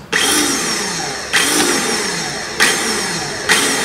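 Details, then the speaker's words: Toro 21464 Personal Pace mower, new Briggs and Stratton engine whose electric starter blew fuses; starter lubricated and reassembled, tested out of the machine: four short whirring bursts fading evenly, no grinding; pinion extends and retracts normally. "perfect it's going out and it's retreating like it's always did before"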